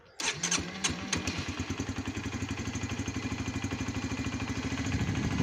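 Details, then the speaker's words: Honda CBR 125 (2004-2006) started after oil change and oil strainer cleaning, oil level checked; starter spins briefly, engine catches at once and settles to an even steady idle with no knocks or suspicious noises: normal engine start and idle. "bien si après des bruits suspects là tout se passe bien donc tu laisses tourné quelques temps sur place"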